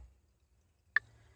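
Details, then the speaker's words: Toyota Previa heater blower circuit: one sharp relay click in a quiet cabin but no fan spin-up. After replacing two heater relays (one was faulty) all relays click, yet the blower motor still gets no power. "so everything is clicking now I changed a couple of things I changed these two these two are for the uh the heater and one of them wasn't working so everything is clicking now but I'm still getting no power here"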